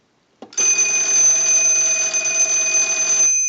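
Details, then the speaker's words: Business telephone during final checkout after repair, ring cycle sent from analyzer, audio via amplified pickup taped to back: steady bright electric bell rings continuously about three seconds, clean and even; ringer working normally. "Now, on our analyzer, I can send a ring cycle. So we want to go ahead and start the ring cycle."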